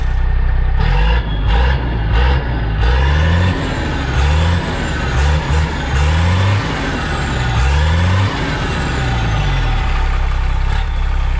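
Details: Deep diesel rumble on a Dart bus that revs up and down, catches and keeps running after running out of fuel and bleeding the injector unions; air suspected getting in somewhere.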